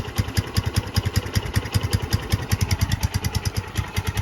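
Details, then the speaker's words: Barn-find 2005 Suzuki GZ250 single, 950 miles, just started after fuel supply issue: idle thumping two to three beats a second, slightly lumpy and uneven; running really rich at idle, no obvious mixture screw. "That sounds better. She is really rich though. Let's see, there's a way to adjust the mixture on that."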